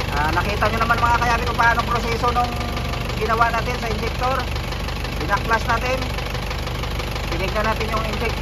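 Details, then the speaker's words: Isuzu 4BE1 diesel after injector replacement: idling with a light regular knock over the clatter; worn piston pin bushings letting pins knock, next to be fixed. "Oh ngayon ang problema mga kayabi yung tunog na yan yun ang susunod nating isusolve."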